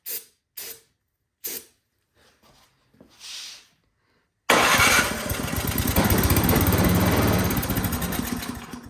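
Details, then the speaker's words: Toro PowerMax 7240E snowblower that sat 4–5 years with old gas: a few sprays and pops, then it runs hard and steady on starting fluid sprayed in the intake, confirming a fuel delivery fault from a suspected carburettor clogged by old gas. "All right, that's good news. So that kind of confirms our gas theory here."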